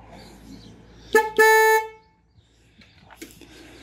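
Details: VW Golf 2 with 1.8 RP engine, tested after replacing a faulty horn that had been blowing its fuse: a short toot, then a firmer half-second blast, both clear and steady in pitch; horn now works normally.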